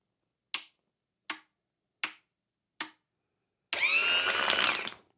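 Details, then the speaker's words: 1996 Bayliner MerCruiser trim pump on the bench, probing a solenoid: four sharp clicks about a second apart with no motor, then motor whirs about a second; suspected motor sticky from sitting or faulty solenoid. Motor hesitating to start. "Yep. It's a little sticky there at first, but it finally went."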